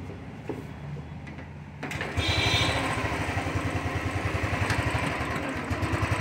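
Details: Royal Enfield Thunderbird 350 after replacing carburettor butterfly to cure starting and misfire problems: catches after short crank and settles into steady single-cylinder thump about four beats a second. Normal idle.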